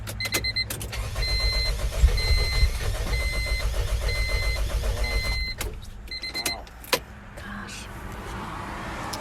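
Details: 1997 Honda CR-V after its engine was pressure washed: starter cranks in steady quick pulses with a chime beeping, but the engine never catches; cranks without starting.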